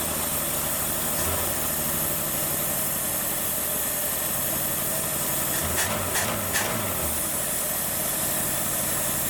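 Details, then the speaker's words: Ford Maverick V8 first running after 26 years sitting, cold outside, slightly blue smoke: fast steady idle with a hissy edge, held high by a vacuum leak at the carburetor base plate, still to be fixed. "the base plate had the vacuum leak so it's not helping anything hear that i gotta fix that"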